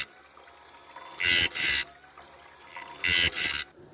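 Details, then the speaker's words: Automatic Wood-Mizer bandsaw blade sharpener for an LT40 sawmill, grinding wheel adjusted to hit the back of each tooth: paired gritty, high-pitched grinding bursts about every two seconds, evenly per tooth, working normally. "You can hear it, but I get the speed to feed rate up now. It'll send them blades around in, I don't know, 5 minutes or so."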